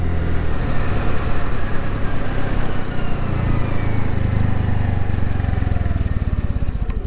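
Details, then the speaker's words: 2022 Honda NAVI carbureted single, off choke in freezing weather and running too rich: a sputtery, uneven hiccup just off idle before it smooths and pulls; off-idle hesitation, owner says a mixture issue. "i don't know if you heard that that was that hiccup uh right off of idle it'll sputter and then go so it's a mixture issue"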